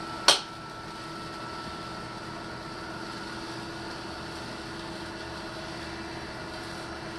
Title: Litter Robot 3 - Popping noises